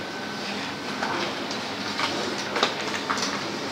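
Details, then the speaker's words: HP LaserJet Pro 400 printer after clearing jammed paper and refitting the gear side: even mechanical whirr, light paper-path clicks, faint steady tone, no hang or grinding; normal startup. "Now let's turn it on and see if it's working. Now if the gear side that I fixed here isn't well fitted, it will start up, then it will hang up telling me, hey, your gear arrangements are wrong. So let's see. Now it's running smoothly."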